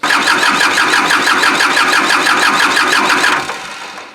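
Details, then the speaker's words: Kubota L2350 diesel tractor, water found in the fuel tank and lines, bleeding injector lines without using the glow plugs: steady fast starter whirr with even compression pulses, never firing. Cranks but won't start; air still in the lines. "these things are hard to start when you're not using glow plug so the fear of starting i don't think it will start right now because you gotta have glow plugs of fire"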